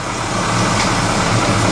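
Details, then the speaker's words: Volvo 740 just started, running in an enclosed space while being put into gear; steady even running with no knocks, slipping or grinding; engine sounds healthy, very light clutch. "Oh, got lights this time. Oh, ho, ho, ho. Yes! Volvo is alive. Gordon's alive!"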